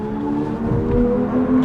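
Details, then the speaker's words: Brand new Kia EV6 GT Line S dual-motor AWD while driving in eco mode: soft, steady synthetic hum with a few clear tones and no mechanical noise, softer than normal mode. Normal EV acoustic vehicle sound, eco mode. "so that's much softer and i go to normal mode"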